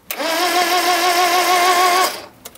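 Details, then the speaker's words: 1978 Mitsubishi Colt Sapporo parked since 1993, cranking before the spark check: the starter spins the engine evenly and quickly with no grinding or slowing; cranking sounds healthy. "okay well that sounds really fine sounds healthy"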